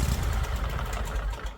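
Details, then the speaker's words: John Deere Z950M zero-turn, rear shroud off, engine running: steady low engine rumble with no metal scraping, pointing to the PTO clutch as the noise source. "But I'm not hearing the noise, so it makes me think that the clutch is the issue."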